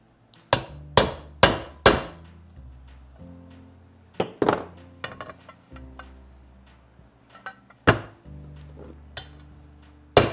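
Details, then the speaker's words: Triumph 650 motorcycle engine rebuild: hammer blows driving a bearing into the case, ring turning harder and brighter as it fully seats, over background music. "Hear that noise? That says it's home. Don't be afraid to send it home. But did you hear how the tone, when I was hitting it changed? That means it's seated in the case."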